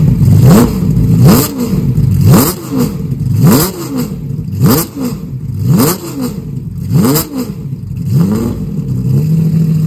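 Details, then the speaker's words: Jaguar XJS V12 track car with carburettors, first start after sitting about three years in a shed; oil pressure reaches 75 psi. Engine blips roughly once a second, uneven and ragged with a light tapping underneath; runs poorly. Owner suspects several carburettors need rebuilding. "well i'm calling that satisfactory not bad for sitting for three years now clearly it needs some work it didn't run all that great"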